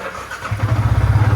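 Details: Yamaha R15 V3 in neutral after replacing the broken magneto (flywheel magnet): short start then quick, steady low thump settling into even idle, no rattle; normal idle.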